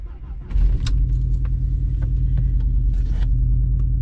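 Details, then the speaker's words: 2004-2007 Audi B7 A4, 107K miles, codes P0300/P0302: engine catches and settles into an uneven, lumpy idle with a stumbling low thump, like running on 3 cylinders; cylinder 2 misfire from a bad coil pack, much worse when driving. "And it sounds pretty rough. Sounds like it's running on 3 cylinders. Yeah, definitely misfire, and it's way worse if you're trying to drive it."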